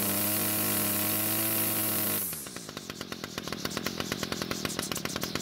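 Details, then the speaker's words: Homelite string trimmer two-stroke screams at wide open throttle, then drops to a crisp, even idle at about four beats a second. Runs clean; owner thinks it sounds ported, not stock. Normal running, no carb adjustment needed. "In fact, I'm happy enough with the way the engine idled and ran at wide open throttle that I don't feel the need to adjust the carb. In fact, the engine sounds surprisingly good, as though someone might have ported the engine."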